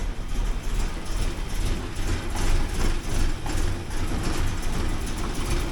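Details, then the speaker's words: 1979 Porsche 924 idling with fuel pressure below spec: low, uneven idle stumbling and sputtering a couple of times a second, running rich and leaving black carbon on a paper towel at the exhaust. "fuel pressure it should be up a bit higher but I'll let it sputter away for a bit if it'll keep on sputtering there and not stop"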